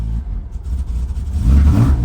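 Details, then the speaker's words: BMW E46 drift car with laggy throttle, new mass airflow sensor fitted without help, leaky injector already fixed, spark plugs next: deep rumble stumbles and bogs instead of climbing cleanly when revved; cause not yet confirmed. "But now, when I give it Exactly. It wants to bog out after it revs. And then sometimes it revs like crap and then it wants to bog down again."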